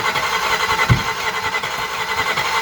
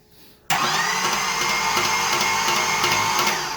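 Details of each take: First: 1981 Camaro with 3rd-gen interior, first start-up on a cold day: lumpy, loud V8 running with an even throbbing beat and no ticking or knocking; engine firing properly on all cylinders. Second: 1981 Camaro, first start attempt after fitting the fuel tank, lines and switched fuel pump: steady even cranking with no firing. Spark or compression suspected; it sounded like no compression.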